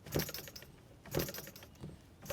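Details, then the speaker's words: Newly assembled Wig Wag oscillating wobbler engine, flywheel turned by hand before the air is connected: soft whooshing puffs roughly once a second as air is sucked in and blown out through the ports; good compression and sealing. "So, you can definitely hear uh the air flowing or getting sucked in and blown out."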